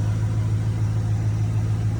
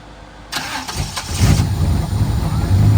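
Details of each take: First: 1995 Camaro Z28 after an AC delete, after the loose plugs in the VATS bypass controller were secured. Steady, even low idle with a smooth, regular beat and no misses or knocks; it now keeps running. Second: 1995 Camaro Z28 after AC and heater box delete, retried after a 10-minute battery wait: fuel pump primes, brief crank, catches and runs rough a few seconds then dies; VATS anti-theft cutting fuel.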